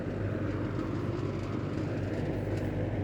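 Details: Late-1970s Kmart (Lakewood) K-223 20-inch box fan, McMillan motor, running on high: steady, even rush of air with a faint buzzy rattle underneath, likely the loose rear grill vibrating.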